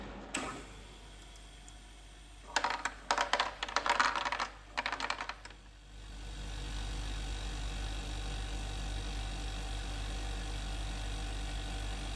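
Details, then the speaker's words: Portable ice machine after replacing the faulty limit switch: rattle of clicks as first ice drops out, then steady low pump hum; cycling normally. "First set of ice blocks uh coming out of the machine. So, clearly it is working."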